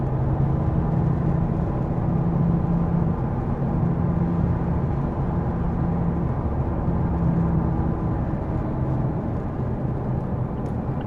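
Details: 2015 Mazda 3 BM sedan while driving, neutral amplified recording: low steady drone with a slow pulsing under it over road rumble; source of the droning noise unidentified.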